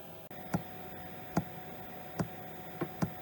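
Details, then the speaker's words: RV/caravan diesel heater after its fuel pump was replaced because the old one was never heard running. Sharp regular ticks about every 0.8 seconds over a steady hum, no battery error: the fuel pump pulsing normally. "Right, it's ticking. no battery error coming up."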